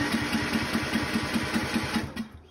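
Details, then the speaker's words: Yard-Man riding tractor that wouldn't start; faulty fuel solenoid on the carburetor found, bowl refitted and solenoid plugged back in, heard clicking; steady rhythmic cranking about five pulses a second, then the engine catches briefly and fades, choke needed. Normal cranking and start after repair. "plugged it back in i can already hear it clicking and the tractor should start now"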